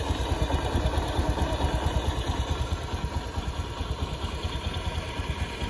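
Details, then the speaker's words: Honda Beat injection scooter bored up to 130cc, standard exhaust, before CVT service: steady low idle with an even pulsing rattle about two beats a second, rough noise seeming to come from the CVT block; cause unconfirmed. "jadi ini suaranya Udah mulai kasar ini mau dibuka sebelumnya lalu dibersihkan"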